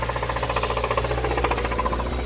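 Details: 2013 Hyundai Sonata blown engine after the Hyundai engine recall: a hard rod knock over a rough, rocking warm idle about five minutes in. Codes P0014 and P1326; the check-engine light still flashes after the codes were cleared.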